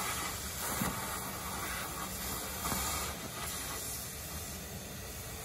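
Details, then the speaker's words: 1989 Crown Super Coach bus, running at the mechanic's: steady, sharp hiss of compressed air venting from a removed air brake line over faint engine rumble; main air leak otherwise not found. "that i hear air oh he just took that he's going to put that line back there he's going to put it back on"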